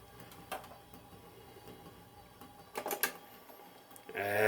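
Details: Quiet ticks, then a couple of firm clacks as the 1942 Zenith 7S685 console's record changer runs through its reject cycle smoothly; mechanism working normally after service.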